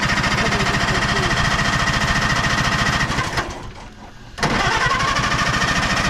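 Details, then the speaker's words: 1960 International tractor that ran, then died: steady rhythmic cranking about three and a half turns per second with no firing catch, a pause, then more cranking; fuel suspected to have all leaked out. Cranking no-start from empty fuel tank. "It started up, it was running, and then it got just gas died. in it? I don't know if it's got gas in it. You should, Probably should check."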